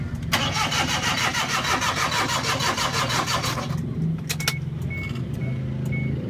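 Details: Suzuki Every EFI: the starter cranks with a rapid, steady chug for about three and a half seconds before the engine catches and idles; hard starting with extended cranking.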